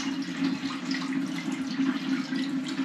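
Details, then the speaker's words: Brand-new hardware-store toilet filled slowly with water: constant trickle of water running out with a faint steady hum; a hairline crack in the toilet is draining it, so the toilet won't hold water. "That's why it won't hold water. It's every bit running out. Of course, you're not going to be able to see it, but you can sure enough hear it."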